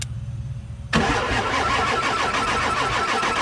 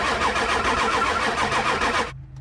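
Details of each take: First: Diesel truck with no-start when hot, suspected HPOP, cranked after refilling oil to heads with valve covers loosely on; near silence, then catches about a second in and settles into steady, even clattering idle; normal start and idle. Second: Diesel truck with a no-start cranks at a steady fast rhythm for about two seconds without firing; lots of air in the high-pressure oil system, seen bubbling out at the reservoir; HPOP suspected.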